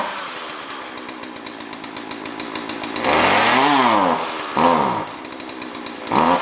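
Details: Jonsord 2036 Turbo chainsaw bought from a neighbour, just got running: it idles steadily, then revs up cleanly three times with pitch rising and falling smoothly; normal running, being left to warm up.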